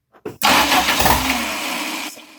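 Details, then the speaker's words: 1989 Dodge Daytona 2.2 being converted from TBI to turbo, start attempt after flipping the distributor: a couple of short cranking taps, then one sharp loud exhaust backfire; ignition timing is off. "There's definitely something up with timing."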